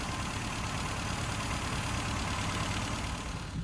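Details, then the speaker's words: Classic Mini after fitting a 0.8 ohm coil in place of a 3 ohm coil and new BP6E spark plugs replacing four-prong plugs, now starting on the button; steady even idle, firm low rumble, no misfire; normal idle. "so I've taken them out put a new set of BP 6s spark plugs or pp6 E I should say gapped at 35,000 engine started on the button now"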